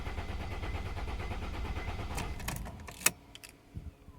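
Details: 2003 Mercedes ML 270 CDI diesel: starter churns rhythmically turning engine over, then stops with clicks, never fires; cranks but won't start.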